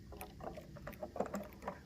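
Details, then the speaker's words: Irregular crackling and snapping as a 120 V wall light switch is wiggled; failing switch contact, replacement recommended. "I will grab the switch or the outlet and I'll move it around a lot of times what happens is you'll hear crackling or the lights will go out if that's the case I do recommend replacing the switch or the outlet"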